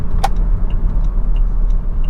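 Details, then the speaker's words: Saab 9-5 Turbo driving after replacing MAF sensor with a cheap aftermarket unit, no check engine light: steady, even engine hum under road rumble and cabin rattles, pulling strongly and smoothly with no misfire or stumble. "the check engine light is not on it is running exceptionally well it's very very strong"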